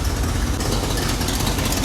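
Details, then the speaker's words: Square body Chevy 4x4 small-block V8 truck, just rebuilt, first start: loud idle with hissy, raspy puffing over the low rumble, exhaust escaping before the muffler. Owner suspects a big exhaust leak, possibly at the collector. "It's got a little exhaust manifold. That must have been leaking, I guess. That's not leaking. I don't know where that's leaking. That's a big leak."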